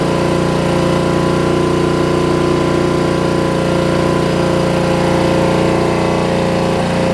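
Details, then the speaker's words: Murray rear-engine rider mower with a roughly 30-year-old engine that is very hard to start: it chugs steadily at about 220 pulses a minute with slight unevenness. Runs rough; owner wonders if compression is low. "so I think it's got a little bit of work to do to get it running right as well but obviously it is running wonder if it's a little low on compression or something"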